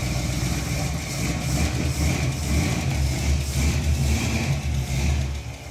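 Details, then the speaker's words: Cheaply home-rebuilt 454 big-block V8 in a 1973 El Camino, just fired up: rough, uneven idle with a loud repeating clack, running on seven cylinders with backfiring; bad cam. "let's not get it too hot I think we definitely need to pull the valve covers it's making a big clack it's running on seven it is"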